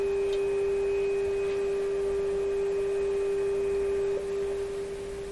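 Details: Canadian Westinghouse 981 shortwave radio, tuned to a 10 MHz signal generator test signal: single steady pure tone, sagging slightly near the end; signal comes through but the band sounds insensitive, weak reception on one band.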